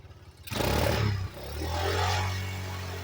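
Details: 1985 Yamaha Moto 4 on its old carburetor, on choke: a short rev flares, then sags sharply and hunts unevenly as if about to die; acts up once warmed up, old carburetor blamed and to be replaced.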